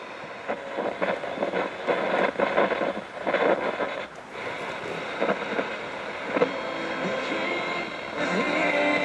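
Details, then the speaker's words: Clock radio on FM: irregular scratchy crackles and dropouts break up the sound as the volume knob is turned; dirty, worn crackly volume pot, a common fault on these units. "Now the radio itself, the only thing that really goes wrong with these is that the volumes are very crackly."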